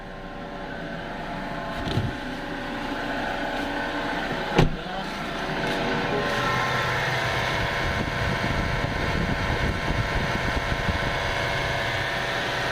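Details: 2017 Toyota Fortuner diesel running with a steady, droning hum over its clatter from the accessory belt area. Cause suspected, not confirmed.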